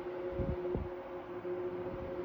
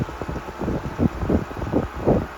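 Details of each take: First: 1973 Frigid (Mitsubishi) 16-inch GT16-S oscillating fan, medium speed: steady hum with dull irregular clunks; rotor rattle, cause unknown, similar fans' rattle goes away once warmed up; about 980 ft/min. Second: 1973 Frigid (Mitsubishi) 16-inch GT16-S oscillating fan, high speed: steady rushing airflow with gusty buffeting, no rattle or ticking; normal running.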